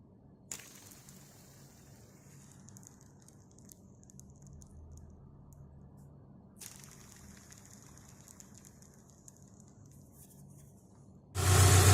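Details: Subaru Outback after AC belt and idler pulley replacement: quiet, even engine idle with a low steady hum and no squeal or rattle from the belt.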